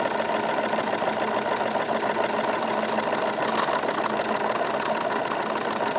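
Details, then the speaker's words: Wilesco D22 model steam engine running on stored steam after fire pulled, revs increased slightly: quick steady even beat, background gurgle of exhaust condensate, no clatter or vibration; normal smooth running. "nice just very very smooth operation increasing the revs a little bit I can feel effectively no vibration coming from this thing just lots of very very smooth operation"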